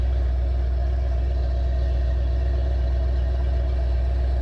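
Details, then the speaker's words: 1968 Pontiac ambulance V8 converted to Aces Killshot throttle-body EFI, warming up: a deep, even burble with no misses or ticking; air-fuel ratios and ignition timing look right, a clean warm-up idle. "It's just coming around. AFRs look good. Ignition timing is bouncing where it should be. And the more it warms up, the more it's going to get everything's going to come back to normal."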